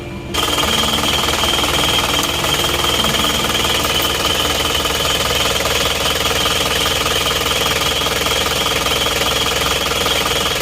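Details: Isuzu Panther pickup diesel, engine still cold; loud, steady, hard clatter with a ringing, jackhammer-like edge at constant speed. Dealer compression test read 24 on one cylinder, dipstick smoking and white exhaust smoke when cold, consistent with blow-by and low compression.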